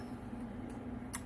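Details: Dual-final-radio 3-pill CB amplifier after blown transistor replaced and drive attenuated, preamp switched on: quiet hum with a couple of sharp crisp clicks as the relay pulls in on keying; clean, normal relay engagement.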